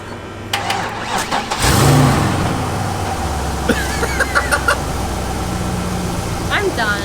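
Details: Car whose compression test read about 180/180/180/60 and 120/125/60, unclear if a noise was new: short crank, then the engine catches and settles into a steady low idle with background chatter; starts cleanly.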